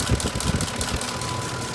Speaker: you can actually Vis physically see that the engine shakes kind of hard with the video but my [Music] RPM but you can feel it inside the cab like it's misfiring but it's not throwing any codes whatsoever